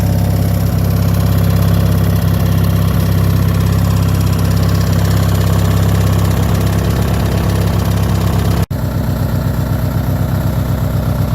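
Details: Landmark 18/46 lawn tractor cold start: loud single-cylinder thump with uneven, rough idle, smoothing out later; gearbox faulty (forward jumps out), battery won't hold charge; rough running cause not known.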